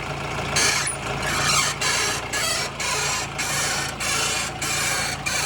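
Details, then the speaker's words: 2014 Mahindra Bolero, about 184,000 km: a dry, harsh grinding creak repeats about every half second as the steering is worked. It comes mostly from the left lower arm, with grease gone and metal-to-metal contact. Worn lower ball joint; lower and upper ball joints to be replaced. "Lower ആമിൻ്റെ സൈഡിൽ നിന്നാണ് കൂടുതലും ആ sound നമുക്ക് കിട്ടുന്നത്."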